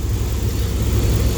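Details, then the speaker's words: Replacement used 5.9 Magnum engine in a high-mileage flatbed truck, first run nearly at operating temperature: steady, even idle rumble with light injector ticking; the lifters have quieted, running smooth. "the lifters finally quieted themselves down i mean i can hear the injectors firing over the mechanical noise the engine makes so i'm happy this thing's running smooth"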